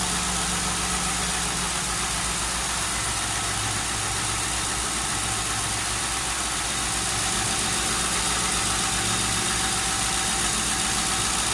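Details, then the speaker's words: Lincoln Town Car with air suspension, first cold start in almost two years, replacement alternator fitted, recorded close to the engine: even, steady idle with a smooth exhaust burble and no knocks, misses or squeals. Normal idle. "hear that oh yeah sounds real good"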